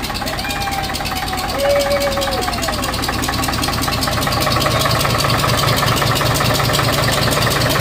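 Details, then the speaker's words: 1951 International Harvester TD9 dozer gas/diesel engine, not run in about 20 years, on another start attempt catches and settles into steady, slightly uneven low chug with faint whistle: running on its own. "HUH. IT ACTUALLY LIKE runs"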